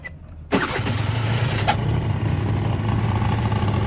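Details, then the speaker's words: Honda Dio AF35 scooter on a cold late-autumn start with a faulty electric cold-start enrichment valve; it fires after a short crank but settles into a weak, lumpy idle that won't pick up revs. "Ну, завівся, друзі, ну, він не набирає оберти."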